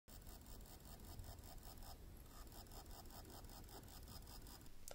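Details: Dead laptop hard drive powered up before recovery: faint rapid buzz with regular clicking ticks about five times a second, caused by the heads stuck on the platter, fixed by freeing the heads off the platter.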